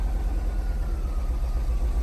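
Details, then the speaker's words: 1977 VW bus just after first start, oil pressure light going off: deep, lumpy idle with an uneven pulsing beat that sounds like it may die; a bad coil is wondered about, not confirmed. "Sounds like it's gonna die. I wonder if the tack even works."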